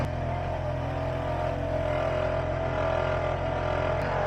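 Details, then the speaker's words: BMW-shop vehicle idling: steady whirring tone with a rough, gravelly hum. The alternator makes a loud noise as it spins and has play when wiggled, so replacement is recommended. "So this is the alternator, the Bowie has legs. So every time it spins, it makes a loud noise, but you can kind of hear it when I wiggle it."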